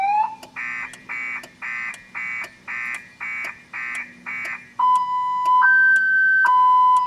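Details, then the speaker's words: 2000 Chevrolet Impala that won't start, key on with security and battery warnings showing: fast chirps about three per second, then a steady two-tone wail; the alarm keeps sounding and won't shut off. "Okay. Huh. Well, it won't quit going off."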